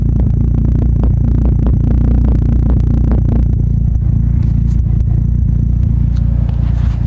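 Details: Toyota JZX100 1JZ engine, warm, off throttle: lumpy, uneven idle with irregular pops and stumbles over the deep engine drone; misfire-type rough idle with popping, cause not pinned down.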